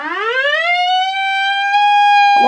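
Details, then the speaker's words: AWA R7077 beat frequency oscillator, circa 1943, after restoration, played through a connected speaker: a pure tone sweeps up and settles to a steady clean pitch, flutter minimized and calibrated; normal oscillator tone. "let's um look at that fluttering and try and minimize it got it oh well as it said either stop the fluttering or reduce it so it's very very slow and that's calibrated so"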